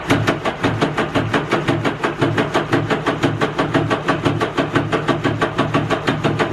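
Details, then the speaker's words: 2011 Yamaha WaveRunner VX110 Deluxe jet ski, sat for years, fuel swapped: labored slow cranking at about two strokes a second with uneven pulses, not firing; starter sounds starved for current, suspected battery or connections, compression untested. "no that sounds a slow crank that's probably our connections yeah this sounds like slow crank"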